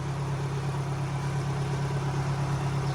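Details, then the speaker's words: Tata CNG car that would not accelerate; a new throttle body did not fix it. After new spark plugs it now revs normally, with a smooth, even idle and no misses. An added fan wiring issue remains. "ฮะโอเคเร่งขึ้นปกติแล้วนี้มีปัญหาเกี่ยวกับเรื่องระบบพัดลมมาให้อ่ะลูกในพัดลมต่อมาครับ"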